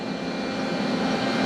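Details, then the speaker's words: Used $500 CNC machine bought broken, jogged after a cold start: even, steady hum with no knocks or grinding as the Y and X axes move; drives sound healthy, though something bangs around elsewhere. "It sounds good too. Maybe I didn't completely blow my money. Let's see. The Y sounds good. The X sounds good."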